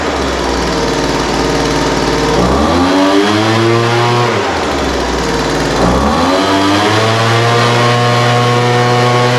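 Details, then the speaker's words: Poulan Pro 200mph two-stroke blower after carburetor work, idle mixture leaned from too rich and top end adjusted: revs up cleanly from idle and drops back smoothly twice with no stumble or bogging; normal running. "a yeah that sounds pretty good um carburetor needed just a little bit of adjustment the idle mixture was too rich so I leaned that out a little bit"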